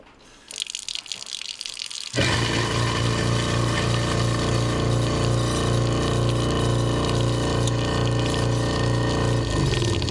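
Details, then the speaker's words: InSinkErator NMN garbage disposer (84211601) started with water running and ice cubes, giving a loud, rough, buzzing hum and excessive vibration. The ice loosened nothing, so it still vibrates; cause not yet found. "And it didn't loosen up anything or else it would have stopped vibrating like that."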